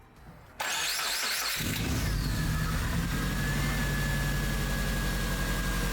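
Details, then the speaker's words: 2001 Subaru Impreza 2.5RS (GC8) after swapping in a used ignition coil to cure P0301/P0302 cylinder 1 and 2 misfires: cranks, catches within a second, settles into steady even idle with no stumble; coil was the culprit. "that was it so there was the culprit right there ended up getting pretty lucky on that one usually when you get a misfire code on a subaru it is one of the biggest pains ever so got pretty lucky on this car just ended up being the ignition coil"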